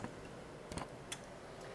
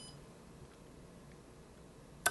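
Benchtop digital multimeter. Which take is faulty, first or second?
first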